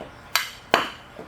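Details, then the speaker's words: 2013 Ram 2500 Cummins turbo diesel, front shock removed and stroked by hand: two sharp metallic clunks then a faint third, the thumping heard while driving; shock had been leaking oil, blown shock knocking internally, replaced with Bilstein shocks. "you can hear that. That's the thumping I was hearing. And I knew it had been leaking oil for a while because it was getting greasy, but it's obviously finished going out."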